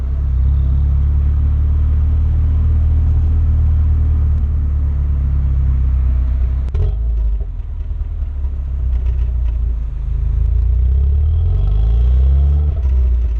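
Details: Renault Megane R26 230 F1 (petrol) with the 'Megane cough': a steady drone stumbles with a brief dip midway, then revs climb again. Intermittent misfire that persisted after an injector change; cause not confirmed.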